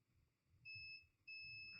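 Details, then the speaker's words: Mobicel tablet with no power, after a battery rewiring: two steady high continuity beeps on ceramic capacitors around the MediaTek MT6323GA BGA power management chip, shorted to ground, pointing to a faulty chip. "this is short this is short this is short even this is short so I think we have a problem with this chip"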